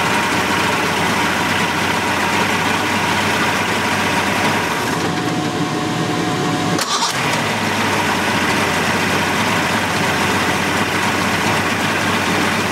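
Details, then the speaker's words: 1988 Mercury 70 HP inline outboard, running after carburetor work, smoking a little as clean fuel reaches it: smooth, even idle holding its pace with no stumbles or hunting; healthy. "the sound of these these inline mercs i just i just love the way they sound and they even sound better out of the tank on ears"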